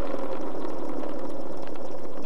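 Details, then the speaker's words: Crash-damaged RC plane brushless motor, housing held against the camera mic and shaft rolled slowly by hand; a gritty, uneven growl from the damaged front bearing. "so hopefully you didn't blow your drums out you actually heard a the growling of the bearing"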